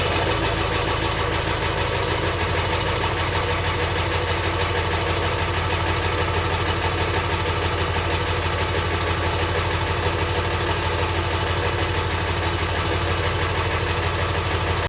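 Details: Ford F350 7.3 Powerstroke diesel, sat about a year, cold idle on a 40° day with no block heater: steady even diesel clatter, no misses or stumbles; some smoke, owner suspects turbo; healthy idle.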